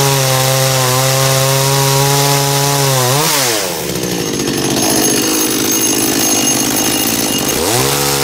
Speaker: und hier in dem Fall sind das jetzt so ungefähr 12.350 12.400 Umdrehungen bei meiner Kettensäge